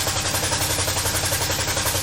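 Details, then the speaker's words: C4 Corvette V8 just started after a no-spark repair: rapid sharp puffing ticks in time with firing over a lumpy idle, a loud exhaust leak that the owner thinks melted the nearby plug wire. "there's clearly an a loud exhaust leak I think this was probably done by exhaust"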